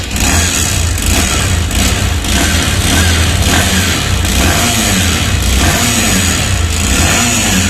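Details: TVS Sport BS6 bike engine runs rough and harsh with heavy irregular knocks; teardown found the piston seized, engine oil about 200 g low, and clutch plates worn out.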